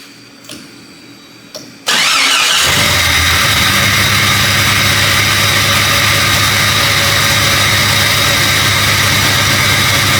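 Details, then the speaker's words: Jeep XJ first startup after a cooling system rebuild: cranks and fires, then idles with a steady beat under a constant hiss that sounds like a leak; the cause is suspected but not confirmed. "I don't know why it sounds like a leak, you know."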